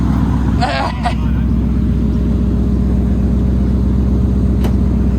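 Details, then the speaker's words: Mercury Grand Marquis V8 with 5-speed manual swap, first start after 1.5 years off the road at 92.6 thousand miles, no dash lights: a strong, even rumble settling to a steady idle with no knocks or misses. "You got park. Sound good. Sounds healthy."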